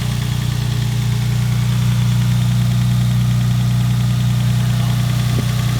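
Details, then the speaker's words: Lexus SC300 drift car after clutch replacement (clutch had slipped at a drift event), engine restarted: deep, even idle with smooth pulse, no stumble or miss now though it misfired on first start; normal idle. "How's it seem though? It's not misfiring. It was misfiring when we first started it."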